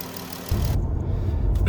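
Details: 2017 Dodge Journey after repairing a P0202 cylinder 2 injector misfire caused by a failed PCM injector driver. Steady, even low idle rumble with no skips or stumbles; the engine runs smoothly on all cylinders.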